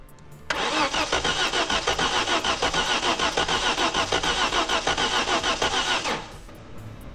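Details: 1986 Audi 5000 bought not running, Hall sensor being checked (reads about 0.02 V, expected 4 V): steady starter cranking about three compressions a second for over five seconds, never catches; crank-no-start, cause suspected, not confirmed.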